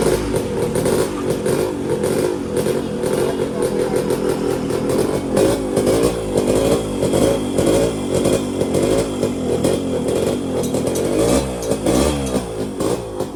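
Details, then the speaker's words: Yamaha RXZ two-stroke after new bore and piston replacing the old one, first start: revs freely with a crisp, even beat and no knock or rattle, about 70% quieter than before, slight clutch bell noise; normal running. "तो देख सकते हो guys आवाज तो पूरा जा चुका है।"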